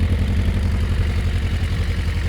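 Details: Suzuki Bandit 400 with 22,000 miles, first start at purchase: an even, steady low thump at idle with no clatter, stumbles or missed beats and no smoke from the exhaust, a normal healthy idle.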